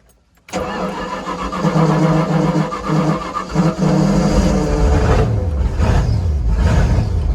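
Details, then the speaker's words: OMC Cobra Volvo Penta SX carbureted marine engine after cap and rotor swap for intermittent no-start, carburetor primed: brief crank, then catches and settles to a steady rumbling idle. "what do you think looks like we got a good successful start"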